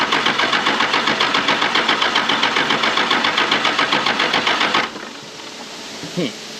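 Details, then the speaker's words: 1996 Dodge 2500 12-valve Cummins diesel, sat 15 years in a salvage yard: steady starter chugging about four beats a second for five seconds, never catching; no fuel reaching injection pump, lift pump clamps leaking and not letting it draw fuel. "so I had to update my clamps on my lift pump here the ones I had to not letting it suck the fuel up and then it was leaking all over the place"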